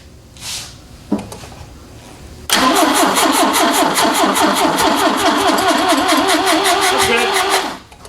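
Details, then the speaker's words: Ford Capri engine unrun for about 15 years, breathing out of the carbs: a short crank then a longer steady spin around 2.5 beats a second that never catches; cranks but won't start, intake valves later found stuck open. "yeah so it's probably out of time we'll uh or the or it's got an intake valve stuck open"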